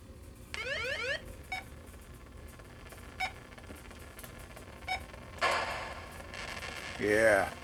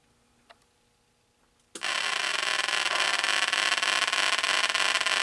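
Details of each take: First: 1980 Atari Battlezone arcade board, audio section tested after fitting a 0.47 capacitor: short beeps, sweeping chirps and engine rumble come through clean and undistorted, background noise quieted; sound output now working properly. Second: 1980 Atari Battlezone arcade PCB set, on bench after new programmed bipolar ROM installed: silence then sudden loud steady hiss and rough static that never settles; sound circuit noise, suspected bad POKEY chip.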